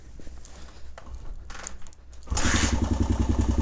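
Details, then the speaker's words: Suzuki DRZ125 single after resetting the cam chain tensioner: brief quiet ticking, then it fires and settles into an even, steady thump with no top-end clatter; much quieter than before, exhaust now audible. "dude that's way quieter holy crap you can actually hear the exhaust now"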